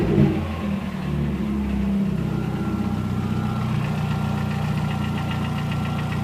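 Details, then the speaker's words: VW Gol 1.0 8v, 120k km, 20W50 mineral oil, possibly overheated before: fully warm idle with irregular loose clacking, absent when cold and gone on touching the throttle; owner suspects piston pin or skirt knock. "Parece tem algo solto dentro, sambando dentro do motor. Provavelmente chuto eu aí que é pino de pistão aí que tá batendo."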